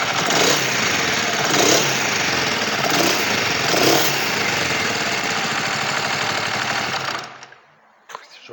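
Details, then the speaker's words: Kawasaki Vulcan EN500 started cold before valve adjustment: busy metallic clatter over cold idle at roughly three per second, slow to rev; owner suspects valves, worse when hot, also suspects air leak from slow-dropping revs. "bueno se acentúa más cuando están caliente vale le cuesta un poco subir le ha costado un poco Bueno si se escucha se escucha bastante No sé si se oye [Aplausos] yo creo que válvula"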